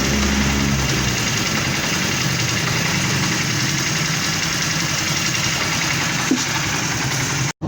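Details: Honda CD 70 single-cylinder motorcycle idling steadily and evenly, no knocking or grinding from the clutch side; clutch bearing (6000) job for engine noise on clutch press.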